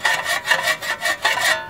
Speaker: but what happened is they actually probably bent this shield and it's hitting the rotor as it spins it's causing that that noise it's a very tiny noise